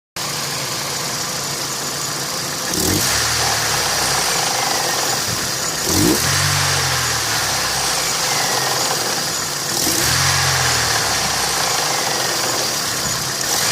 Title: Стук двигателя а15sms